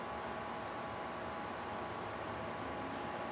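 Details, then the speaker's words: Ruud WA14 air conditioner with scroll compressor, fan motor replaced July or August 2022, recorded at 67°: soft even hiss and hum, no knocks, rattles or rising whine; quiet unit running normally. "yeah and that's a rude wave 14 that's quiet with a scroll sorry for that noise but it does have a scroll compressor"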